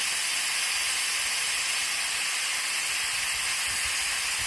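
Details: Compressed-air-driven oil extraction machine charging its vacuum, valves open, before pulling oil from a warm Toro walk-behind lawnmower engine during service: steady, even high-pitched air hiss with no low rumble, cutting off cleanly at gauge target; normal vacuum generator hiss.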